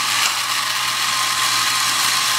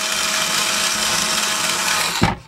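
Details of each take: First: Vintage Tandy Radio Shack computer truck toy on two batteries, first run after repair: small motor whirs steadily with fast gear chatter and no load changes; the steering cam mechanism runs but turns the wheels too far. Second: Vintage Tandy Radio Shack computer truck toy, two batteries, motor and cam drive, after reattaching a loose wire and a detached gear: even high whir spinning the tires about two seconds, stops cleanly; working normally.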